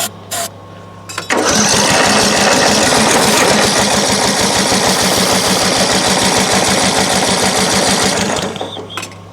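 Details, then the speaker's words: Craftsman LT1000 riding mower on choke: fast, regular starter cranking for about seven seconds without catching; crank no-start, owner suspects the carburetor fuel solenoid. "so this mower has picked up and it won't start and uh try a couple quick things make sure it's on choke"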